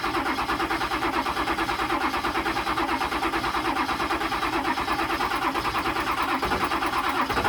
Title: 99 7.3 no start 6 months of sitting